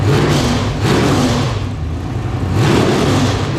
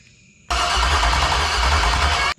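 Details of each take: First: Iron-head LQ4 6.0L V8 (1999–2000) with temporary exhaust fitted, checked for knocking: strong smooth revs climbing and falling back to an even idle with no knock or clatter; engine sounds healthy. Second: Marketplace LQ4 6.0 V8 (circa 1999–2000, iron heads, hit by gunshot), test-fire: steady starter cranking without catching; no spark traced to bad coil pack ground, fixed.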